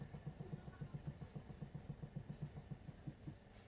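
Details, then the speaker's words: Proton Saga Iswara LMSS while driving: faint even clicks about four a second over road rumble from the rear driver's side; owner suspects a stubborn wheel bearing despite recent bearing replacement, after spring and perch replaced. Unconfirmed. "it's so weird cuz it's always coming from the driver's side rear driver side which is just driving me nuts"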